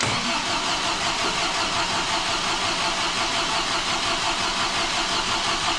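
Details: Supercharged MGB engine on its first start after a major overhaul, run 40 seconds without coolant: hard to start, then a loud, hissy run with an uneven pulse about three beats a second. Rough running; owner says it needs adjusting, cause unclear.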